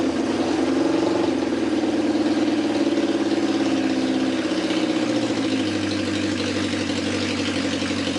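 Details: Honda CB750 chopper after carburetor rebuild and plug boots corrected, full choke: steady fast choke idle with an even four-cylinder hum that settles slightly lower; runs smoothly on all cylinders, no carburetor leaks.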